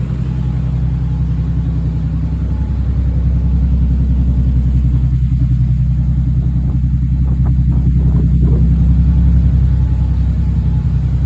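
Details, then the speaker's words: Z car nicknamed "Tyler Z", after a cylinder-five misfire was traced to a bad fuel injector connection and spliced (compression 190 psi): a deep, even idle with a steady firing beat and no misfires or weird noises. Normal idle. "She sounds mint. Sounds mint as heck, dude. No weird noises, no misfires."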